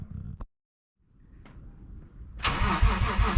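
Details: Lexus IS200, first true cold start on the new DIY near-straight-pipe decat exhaust: near silence and a few clicks, then catches sharply at about 2.5 seconds into a loud, deep, healthy cold idle.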